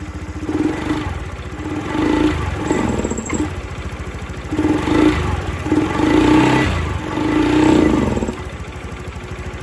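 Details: Honda Scoopy-i scooter blipped repeatedly: revs stay flat and stumble with a light ticking. The faulty ECU under the front panel was replaced, after which the engine returned to normal.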